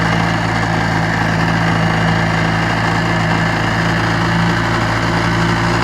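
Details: Steady, even buzz with no misses or knocks from a restored 1956 Johnson 7.5 HP two-stroke outboard on a 14-foot boat during a lake test run; normal running.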